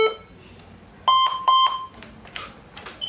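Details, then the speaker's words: HP ProBook 440 G7 laptop at power-on, charger connected directly with the battery isolated: a few short, sharp high-pitched beeps, a startup beep error still present; the RAM is to be tested next and the cause is not yet found. "so i will switch it on and still giving us the same problem so it's the same problem coming up"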